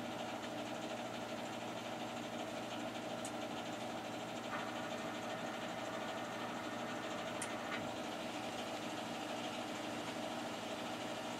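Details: Newer boiler, only a few years old and side-vented, on its first start of the heating season on a cool morning: low steady hum with a soft even whir, no rattles or banging; very quiet, normal boiler operation.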